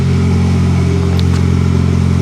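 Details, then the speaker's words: 1991 Plymouth Colt Vista, Mitsubishi 4G63, 74K miles, bought as non-runner, first start: deep loud steady idle drone with coarse rumble; exhaust leak, exhaust still exits mufflers, broken flex pipe suspected. "well it's not completely cut because we have exhaust coming out of the mufflers probably a broken flex pipe"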